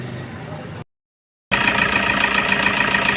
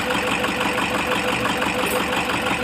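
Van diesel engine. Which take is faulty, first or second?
second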